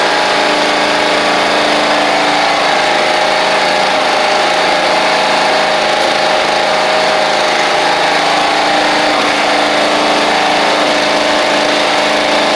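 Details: Toro Proline walk-behind mower, Kohler Command engine, sat unused April to November, first run after new carburetor and spark plug, blade missing: even, unbroken running note with no misses or surging, sounding healthy.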